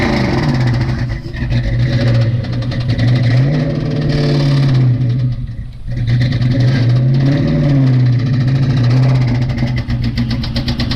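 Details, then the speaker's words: Mustang V8 that sat two years, misfiring with plug buildup, revs hard during a burnout with a rough rapping rod knock under the roar; later blew a piston out the oil pan. "see how this thing sounds while knocking and doing a Brody that tests out that one too"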